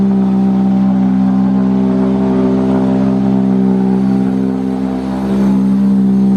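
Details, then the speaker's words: Honda Civic Wagovan D16Z6 after fixing its dead cylinder: steady, even idle with a slight rasp and no misfire stumble; runs much better than before, though still a bit raw-sounding. "it still has like that crazy sound to it but it's not as wild you'll see let me just show you"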